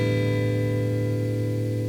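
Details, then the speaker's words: Guitar through pedalboard on old serial (daisy-chained) power supply, no pedal on, before installing Vitoos ISO4 isolated supply: steady high whistle over low mains hum while playing lightly; poor power suspected. "Now you can hear a humming, and there's also a whistling noise as well."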